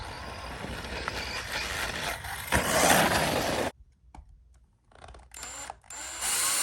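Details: JLB Cheetah 1/10 brushless RC car: harsh crunching as the motor spins up under hard acceleration, then rattly clicks coasting. The diff is cracked, two bearings have popped, and the motor mount is loose and bent.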